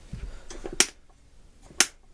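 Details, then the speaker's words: Vintage Galaxy 2150 12" oscillating fan, newer plastic-handle version, bearings locked up before repair: two crisp clicks about a second apart as the head tilts and locks into its notches; tilt mechanism works properly but doesn't hold firmly enough. "The tilt mechanism is still working. You can hear it clicking into place properly, but this just doesn't quite have enough."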